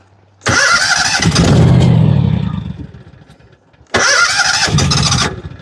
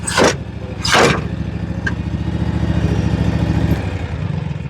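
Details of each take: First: John Deere 757 Z-Trak zero-turn mower after a new starter: the engine fires, runs briefly, then sags and dies as if out of gas; earlier it sounded like one cylinder. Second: John Deere 757 Z-Track zero-turn mower after new starter and fuel filter (was fitted backwards) and fuel system repair; engine settles into a steady, even drone under load with no misses, running properly now.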